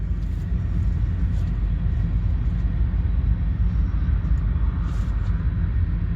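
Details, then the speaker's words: 2017 Toyota Sienna AWD just started at a pre-purchase inspection, idling; deep steady rumble with a lower-end resonance; resonance noted, cause not identified. "All right, it might be hard to hear on this camera, but there is like a little bit of a lower end sound that's kind of resonating through. Just kind of hear it idle."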